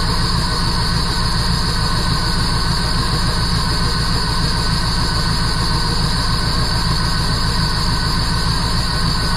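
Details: 1977 Jeep CJ7, 350 small-block Chevy with Holley Atomic EFI TBI, new Bosch O2 sensor, loose exhaust flange bolts found, tuned near 14.0 AFR at idle: deep V8 idle with a lumpy pulse about three beats a second; rough idle, cause (timing chain?) unconfirmed.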